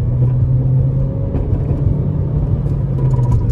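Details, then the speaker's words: Hyundai i30 FD 1.6 automatic, 2011, test drive before dismantling: full throttle from a standstill, wheels spin, deep steady engine drone over road rumble, gearbox shifts cleanly, no knocks or rattles; engine pulls healthy. "делаем полную остановку газ пол буксует переключила ещё раз переключила переключает отлично никаких вопросов к работе"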